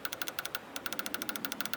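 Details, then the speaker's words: TBI throttle body injector bench-tested with 12 volts by tapping the lead: crisp, sharp clicks around ten a second with a short pause midway, each clean and even; injector opening properly, good. "and if you hear a little clicking as you're tapping that means the injector is good so this injectors good because I could hear the tapping"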